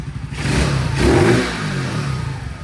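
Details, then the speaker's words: CT70 clone with Nibbi carburetor, pilot jet upped after running lean on the bottom end, now warmed up: a small single revs up, falters mid-rise and settles, a mild remaining bog on acceleration. It is much better than before, and the owner thinks a bigger 107 or 110 main jet will cure it. "Get rid of that last little bog in there. Although it's not bad. I think stock one does. Little bog. Nowhere near as bad as it used to be though, so Good good good."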